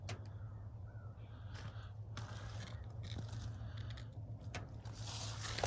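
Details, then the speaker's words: Vinyl siding popping in the morning as the sun warms it after a below-freezing night; faint sharp pops every second or two over a low hum as the improperly, over-tightly nailed siding expands and releases from the nailheads. "But you can hear this popping. And this is what vinyl siding does that's improperly installed."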